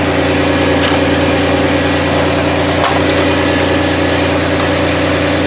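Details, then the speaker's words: 2002 VW Passat that had been no-crank, no-start, fixed by drying out the engine computer with a hair dryer: a smooth, steady petrol idle, an even low drone with no ticks, knocks or stumbles, so a normal idle. "honey it's running I don't have to push those"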